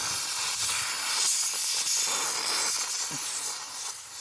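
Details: Air compressor at power-on, valve underneath open or missing a piece, hole found: constant sharp hiss with no low rumble, compressed air escaping.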